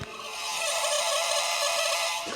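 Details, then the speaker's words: 100-year-old Ford Model T, key on with engine rotated slowly, microphone at the coils: steady, high, thin buzz with a squeaky edge from a trembler coil, showing power reaching the coils as normal. "so we know we're actually getting power to the coils they're buzzing like they should so likely we're getting power to the spark plugs and all great news"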